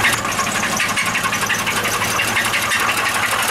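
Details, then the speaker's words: Scrapyard vehicle engine idling five minutes into a test run with its oil and/or coolant drained, getting hot. Rough, rapid knocking of about three beats a second through a strained, clattery note: oil starvation, close to seizing. "so right now we are 5 minutes into the experiments they all running still cont making a bit of noises it's getting hot"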